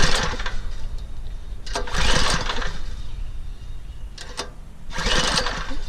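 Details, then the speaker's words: Troy-Bilt Super Bronco rear-tine tiller with 208cc OHV engine, unused this year, pulled on choke before carburetor cleaning: several short rasping rope pulls with no firing despite good spark and an old-gas smell. No start from a clogged carburetor jet. "we got nothing here in fact I smell evidence of old gas"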